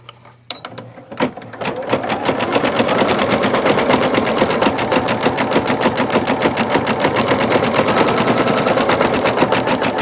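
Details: Singer Futura XL 550 sewing machine after fixing the loud bobbin-area rattle: even stitching about three stitches per second with no rattle or clanking from the bobbin plate; healthy.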